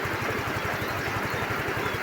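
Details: Yamaha Mio i15 scooter brought in for a no-start with a blown fuse; lights and horn working. Quick, even low putter of about eleven beats a second, no misses or knocks; idling smoothly.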